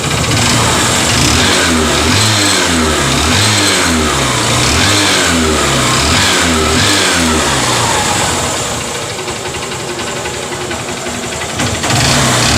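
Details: Honda CB Shine motorcycle engine revving and dropping back with a steady tapping about four per second over the running; abnormal engine noise, source not identified.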